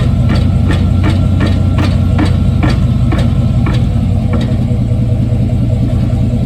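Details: 1995 Chevy Silverado pickup, 5.7 V8, iPhone taped underneath the truck: sharp regular clunks about twice a second over a low engine rumble, fading after about four seconds; suspected drivetrain clunk, cause not confirmed.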